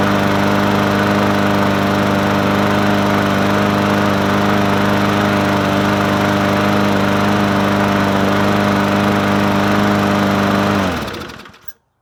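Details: Murray 20-inch 4.0 HP push mower (20415x8D), free find, on a cold 53-degree day after priming: small engine holds a steady, even buzz at constant speed for about ten seconds, then shuts off cleanly; runs smooth and healthy.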